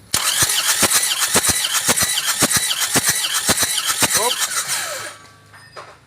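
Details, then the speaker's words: Car towed off the toll road after losing radiator water and stalling, during a compression test: starter cranking with even beats under a squeal. Compression is only 15 against a minimum of 22; a seized part or scored liner is suspected. "Kompresinya cuma 15. Sudah bisa dipastikan ini sudah ada yang macet atau baret linernya. Masih ada kompresinya tapi cuma 15. 15 itu sudah akan kesulitan hidup."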